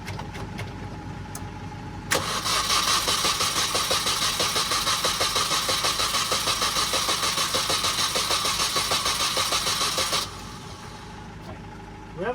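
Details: Supercharged Mini R53, first start attempt after reinstalling engine electrics and mounts; throttle body found unplugged: starter churns steadily at three-plus beats a second for about eight seconds without firing; cranks but won't start.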